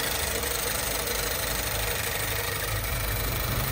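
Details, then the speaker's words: Car with cylinders 1 and 4 not firing although coils show ignition: rough, stumbling idle with uneven knocks and harsh hollow clatter, intense noise; two-cylinder misfire. "is an intense noise in the vehicle. there is a misfire now, there is an atmosphere like this."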